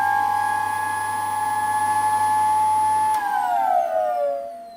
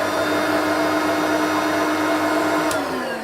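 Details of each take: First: Old Dyson ball vacuum cleaner recovered from the tip: steady piercing high whine at full speed, sliding down in pitch as it coasts to a stop; whining motor, owner unsure whether it is a bad seal. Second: Vacuum cleaner recovered from the tip (Turbomaster among them), switched on at the handle: steady even motor whine with constant pitch, no rattles, catches or surging; running normally, headlight also works.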